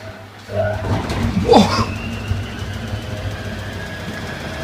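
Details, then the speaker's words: Washer spin phase: heavy uneven rumble with thumps and rattles as drum thrashes on unbalanced load, machine shaking and moving. "That proper shook that did. Wow, that was more violent than the first one. God, look how much it's moved."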